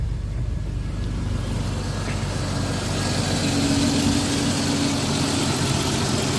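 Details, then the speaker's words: 1987 Jeep Comanche SporTruck, AMC 4.0L six, 115,000+ miles, first start in a long while after a front suspension overhaul (ball joints, track bar, tie rod ends, sway bar links): steady even idle, smooth low rumble, no knocks or misses; normal idle. "now it's time to start it up i don't know it's been quite a while like i said let's see what happens oh yeah she's ready to go"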